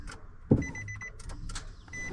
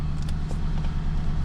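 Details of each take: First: Nissan Titan: single sharp starter click when the key turns, then no cranking; battery measured 11.9 V, dead. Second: Nissan Titan after starter replacement for a click-no-start: restarted, low steady rumble at idle with earlier ticking gone; owner suspected exhaust leak or lifters not pumped up; engine now quiet and smooth.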